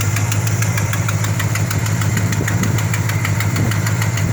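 Steady idle with a quick, even puffing tick about three times a second riding over the engine note, like an exhaust leak.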